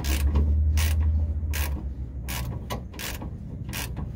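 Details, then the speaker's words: 2005 Ford Focus ZX4, car still hot: a dry creak repeats with each hand rock of the rear sway bar link; likely a misfitted, broken replacement link bushing sliding on the bar. "I think this apart was on those sliding on a sway bar link or on a sway bar itself causing it to Creek"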